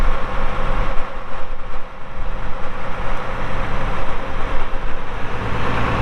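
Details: 1979 International 986 tractor diesel, 2,321 hours on a non-working meter, estimated around 3,200 hours. Deep, steady rumble with even firing and no knocks or misses. Normal diesel idle.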